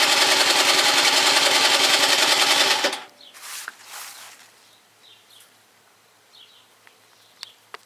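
A fast, even buzzing crank of about three and a half strokes a second for three seconds, then it stops without catching; no start.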